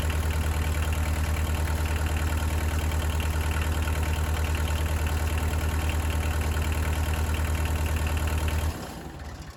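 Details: Bobcat 743 skid steer diesel after oil, hydraulic, fuel and air service and fuel priming: catches and settles into a steady even idle, about three pulses a second, then shuts off; healthy.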